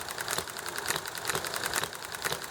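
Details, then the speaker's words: Enjomor hit-and-miss engine running well amid highway traffic noise: it slows to about 1200 rpm, fires in uneven bursts of pops, and spins back up to about 2000 rpm before coasting again. "well you hear it popping and how it's uneven and it goes top and then it's kind of oh yeah it only fires every time it tops"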